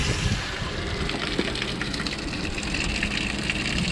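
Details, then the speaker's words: Sea Nymph fishing boat bilge pump tested on automatic float setting, wired hot positive directly to battery: steady pump hum under gushing water, no stalling, float kicked it on without switches; normal bilge pump operation. "that's [Music] awesome like it's pumping it all out and of course that's just on the automatic setting I didn't have to flip any buttons"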